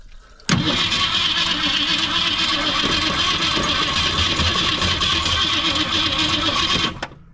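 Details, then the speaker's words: 1964 Ford Fairlane 500, Ford 260 V8, first start attempt after 29 years stored, throttle opened slightly: steady six-second cranking churn that never catches; cranks but won't start, points or condenser suspected. "open it up a little bit still don't seem like she's firing much"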